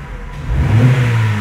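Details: Fiat Strada 1.8 E.torQ after camshaft phase sensor replacement for P0340 and no power; it previously would not pass 3,500 rpm. The note climbs quickly and cleanly from idle with no stumble or cut-out, revving freely.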